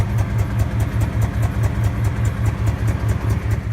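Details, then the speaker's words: Mustang SN95 started cold in sub-freezing weather; lumpy throbbing idle with sharp puffing ticks from an exhaust leak where the O2 sensor fell out of the exhaust. "so I'll go ahead and start it up and see the stars I'm starting about week and a half so yeah you can probably hear the hear the exhaust leak"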